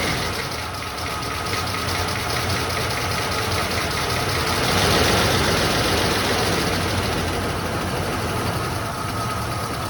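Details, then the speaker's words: 1993 Ford Bronco V8, freshly installed engine, first start before coolant fully topped off: steady, even idle with a soft regular pulse, no taps, knocks or leaks; lifters/rockers seem properly adjusted, timing possibly slightly off. "idling on her own. Nothing spewing out. I don't hear any taps or knocks. Sounds like the lifters or the rocker arms are probably adjusted properly."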